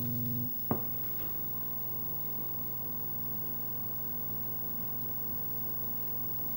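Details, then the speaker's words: Nintendo Mario Bros arcade cabinet, 20EZ audio, after moving the volume pot per a forum fix, mic at same spot: after a faint click, low steady hum drones unchanged, about the same; amplifier ground hum, ground loop suspected, not fixed. "[Music] about the same isn't it I still hear the hum so that might not be the permanent fix"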